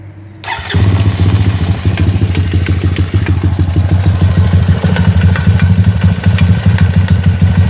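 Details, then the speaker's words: 2002 Honda TRX250EX quad, low hours, run after sitting outside 10 years: steady idle with a loose, irregular clatter of about three knocks a second. The stethoscope places it at the auto clutch, and the owner suspects clutch adjustment; the source is unconfirmed. "it's pretty noisy so i'm gonna try turning the idle down and adjusting that hopefully it'll fix it"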